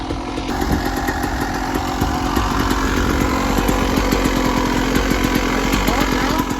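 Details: 1996 Yamaha YZ250 two-stroke after carb tune-up with factory stock carb settings (previously weird low-end idle, suspected pilot jet), about 13 degrees out: crisp ringing buzz held at high revs, clean and even with no bogging or spitting; running healthy.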